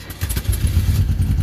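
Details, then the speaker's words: Classic VW Beetle gravity-fed fresh gas from a jerry can into the carburetor, choke on: it catches right away into a low, steady chuffing idle with no stumbling. A healthy start with the engine running cleanly. "oh yeah fire right up actually runs pretty good"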